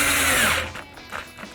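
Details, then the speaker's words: Cheap 1-star Amazon cordless drill/driver sinking 1-1/4" star-bit screws into wood: thin whine that sags fast and stalls within half a second; no torque to bury screws, with clutch and brushes already smelling hot. "there's no torque on it I can't get it to bury it"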